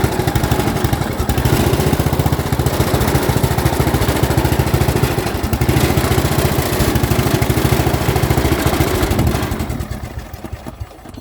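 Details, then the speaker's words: Yard Machines 38-inch lawn tractor, 13.5 engine, jumper pack wired to the starter and ground, six-pin main harness disconnected: the single-cylinder runs at a steady, even beat with no knocks, then winds down cleanly. It runs fine; the no-start is a wiring fault. "but as you as you will hear this machine does start up and run perfectly fine just gotta figure out that wiring wiring gremlin and this one will go back down the road"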